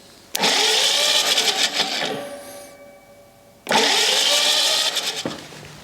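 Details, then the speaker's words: Rebuilt U23 engine cranked with spark plugs out and choke on after priming the fuel pump, to get fuel into cylinders: two bursts of quick, even starter spin without compression thumps, turning freely. "i'll leave the spark plugs out and i'm going to crank it a few times with the choke open so we got some fuel at least inside the cylinders"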